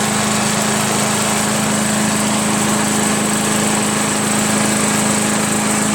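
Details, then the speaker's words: Craftsman/Yard Machines chipper shredder flathead single-cylinder, after head removal, carbon cleaning and sandpaper valve seat lapping (intake valve spun freely): after many pulls, fast even idle with steady buzzing exhaust, no misses or knocks. Normal idle. "look at that look at it idle crazy right"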